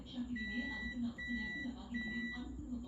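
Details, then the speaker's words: Multimeter in buzzer (continuity) mode on a standing fan that stopped working, about 6 months old and under warranty, motor not seized; probes on the phase line inside the cable give three clear high half-second beeps, so the line is intact. "බලා ගන්න පුළුවන් බස එක වදින සද්ද ඇහෙනවා අපිට. ඒ කියන්නේ මේ ලයින් එක හොඳයි."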